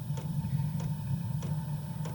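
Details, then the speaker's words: New Chinese diesel air heater on 12 V battery power, startup mode at highest fuel rate, glow plug heating: steady low fan hum with a soft thump about every 0.6 seconds as the fuel pump starts delivering fuel to the igniter; normal. "you can hear the fan running now you hear that thump thump thump now the now the pump the fuel pump is starting to deliver fuel to the igniter"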